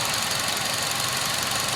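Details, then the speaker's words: 2004 Acura RSX running with a plastic cover removed, no dash lights on: a fast light ticking over a busy, hissy idle with no clear rhythm. The owner hears it from the top of the engine, occasionally after driving; cause unknown. "the noise really sounds like it's coming from up in here the noise really sounds like it's coming from there"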